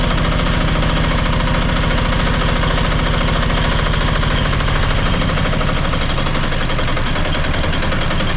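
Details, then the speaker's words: Marketplace diesel generator of unknown condition, first start on little fuel: fast uneven hard knock that stumbles and falters; likely fuel starvation as the fuel filter is only just filling, then runs out. "all right so it's good started up all right sounds like it might be starving a bit for diesel which that fuel filter is only just filling up a little bit"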